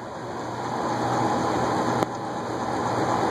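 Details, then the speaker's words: Western sidewinder ceiling fan running with an uneven, loose rattle from a worn bearing and a split blade that was glued but needs better gluing. "you can hear it rattling that's both a bearing and one of the blades has a split it's been glued but needs to be better glued"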